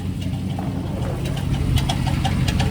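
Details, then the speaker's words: 2006 Chevrolet Silverado V8 at idle on jack stands: light irregular metallic ticks and knocking rattle over low rumble; earlier high-pitched starter rattle fixed; owner suspects cracked flex plate or starter hitting it, unconfirmed. "sounds like the flex plate so I might be pulling the transmission off just to see if the flex plate got cracked or something the starter hitting it"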